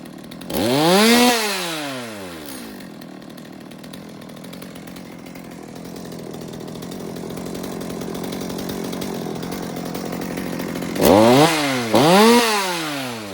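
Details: Stihl MS200T chainsaw, warm, no chain, after replacing cracked fuel line: idles then revs in quick blips with a slight bog as the trigger is hit; low-speed jet may need carb tuning (suspected, not confirmed).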